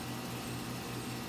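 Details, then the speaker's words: Three-ton "soft sound" condenser, recorded with the camera right down beside it: soft, even fan rush over a low steady hum with no rattles or surges; running quietly and normally. "we're standing right beside it camera right down there on it so it's pretty quiet"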